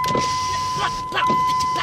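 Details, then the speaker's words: 2003 Ram door window after soldering the driver-side window master switch, individual door switch previously dead: steady motor whir in short runs with a click at each press; window now works normally. "Now my window is working again after soldering the switch back on."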